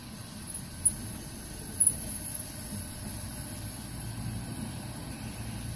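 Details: Restored Coleman stove, tank pumped about 30 times and lit on gas: a couple of lighting clicks, then a soft, steady low burner roar as the generator warms up, running normally.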